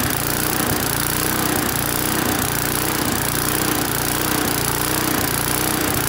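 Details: Neglected Briggs and Stratton single-cylinder mower on first start with fresh petrol runs hard at no load, but speed rises and sags about once a second: surging. A lean condition is suspected, possibly from an aged carburettor; not confirmed.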